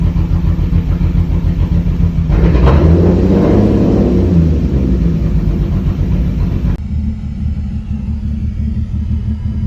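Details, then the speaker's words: Lexus IS300, sat about two months with a dead battery: lumpy, unsteady idle after catching. Misfire because two ignition coil wires were pinched by the throttle body when it was tightened during a spark plug job; later resolved. "i ended up finding out earlier today that uh the coil like line um was pinched um two of them were pinched through the throttle body when i was doing the spark plugs"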